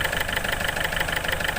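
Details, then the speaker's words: Ford Figo diesel idling with check-engine lamp blinking, hard to start: hard, even knock about six times a second with heavy engine shake, RPM won't rise under throttle; caused by failed injectors, fixed by replacing them. "ये देखिए ये कितने ज़ोर से knocking कर रहा है और आवाज़ भी हो रहा है। ठीक है, बहुत नॉकिंग कर रहा है और आवाज़ भी बहुत हो रहा है।"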